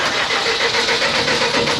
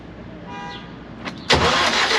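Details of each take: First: CAT (Perkins) C4.4 diesel cranks steadily for two seconds but won't start; injectors bypassed about 90 ml per 30 seconds versus 25 ml maximum spec, so injectors need to be replaced. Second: CAT (Perkins) C4.4 diesel after injector replacement for a crank-no-start caused by excessive fuel bypassing the injectors to return: brief crank, then it catches at once and settles into a steady, even diesel clatter; starts and runs normally.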